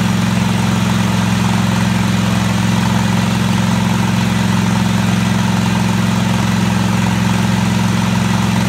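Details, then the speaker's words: Craftsman DGT 6000 tractor idling at first start after its engine was reassembled and a fuel line and pump were fitted: a steady, deep hum with an even beat and no knocks or stumbles. "alright took a little while but it finally fire it up"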